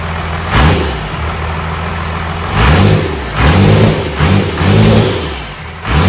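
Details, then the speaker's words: First fire-up of a newly installed diesel engine, sitting on the floor, after bleeding air from the fuel system: it settles into a steady diesel clatter and quick rev blips return cleanly; healthy start. "That first fire up's always good. Sounded good."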